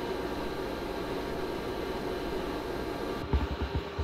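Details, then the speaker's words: ARAID 3500 backup drive running alongside a server in a production room, recorded on a Zoom H4n: a steady loud whooshing hum with a constant whine. The backup drive's stock fan is too noisy. "so that's the ambient noise just coming off of everything the server the backup everything running"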